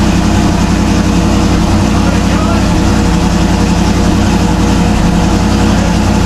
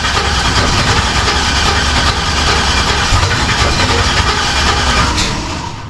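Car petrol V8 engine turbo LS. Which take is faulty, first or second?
second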